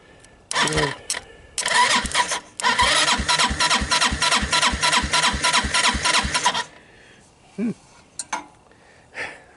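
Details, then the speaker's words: Hammerhead Twister 250 engine cranked by jumping the starter solenoid from a jump pack: quick, even bursts about three a second with no binding. The engine is not seized and turns over healthily. "sounds pretty healthy"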